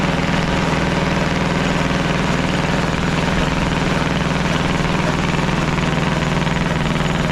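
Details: Caterpillar D8 2U crawler main diesel, first start in its revival after the pony motor was sorted; steady, even idle with a regular beat near two per second, no knocks or misses. The motor sounds fantastic. Normal diesel idle.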